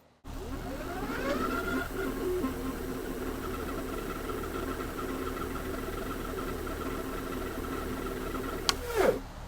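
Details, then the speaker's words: Whistle while riding a Hovsco HovGTRS 750W 48V fat-tire moped-style eBike (20 mph cap): a steady thin whistle over motor pull-up at low speed, "like a puppy underneath"; source unknown to rider. "Do you hear that whistle? Okay, I have no idea what is making the noise. So, for some reason, we are making a very peculiar noise. It's kind of cute. Like I have a puppy underneath."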